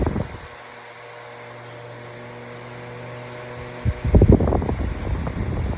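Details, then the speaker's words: Retro metal fan on low speed: a smooth, even low hum like a vintage fan, with some clatter nearby; it runs fine on low. "There's low speed. So I do love the sound of it on low. As you can hear, it sounds almost like one of those vintage fans."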